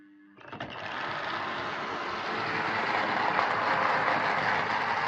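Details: Old Trix A4 class Mallard model locomotive, reported very noisy, a poor runner and prone to derailing, on first power-up: harsh steady buzzing whir throughout; suspected horrible mechanism rather than a specific fault, not yet confirmed.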